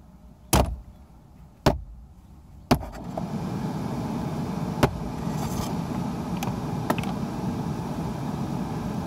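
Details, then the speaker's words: Chevy Cruze/Cobalt/Grand Prix-type blower motor, no fan: three rubber-mallet knocks on the motor, then the fan spins up to a steady airy rush; it only starts when struck, so the blower motor needs replacing. "it works now and doesn't mean it works I mean you need to replace the blower motor"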